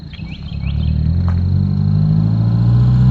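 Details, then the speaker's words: Ford Ranger after a swap to a junkyard 2.3L engine said to have 80,000 miles, a flood-water motor that was saved, with fluids changed: it pulls away on a test drive, revs climbing smoothly with no knocks or misses; it runs well but still needs O2 sensors. "It still needs O2 sensors and a few little odds and ends, but it's drivable."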